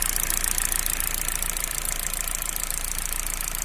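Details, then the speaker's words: Car on a BRC Sequent LPG system after replacement of a faulty LPG injector: smooth, vibration-free idle with a fast, light, even ticking, the normal sound of the 4 gas injectors working. "Ecco, questo ticchettio che si sente è il rumore dei 4 iniettori in funzione."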